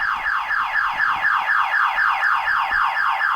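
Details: Flood-damaged 1985 Monte Carlo SS, battery connected with fuel pump fuse pulled, about 11 V: loud siren sweeping up and down about four times a second, steady and continuous; the anti-theft alarm has gone off.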